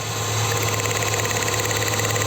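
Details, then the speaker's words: Dodge Neon misfiring, vibrating, lacking power with a blowing exhaust note: steady idle with a slightly uneven, rough pulse that doesn't change when the cylinder 1 plug lead is pulled; dead cylinder 1, traced to low compression from leaking exhaust valves. "notando El sonido del motor en el cilindro 1 al desconectar el cable sacar el cable no se escuchaba variación y eso me decía que el problema estaba ahí"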